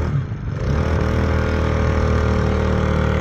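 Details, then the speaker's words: Small Chinese 2 hp gear-reduction outboard, long laid up with uncleaned carburetor, run low on oil: low labouring drone that bogs under load instead of revving freely; it later seized and knocked. "as you can hear my motor's bogging down so I got something going on"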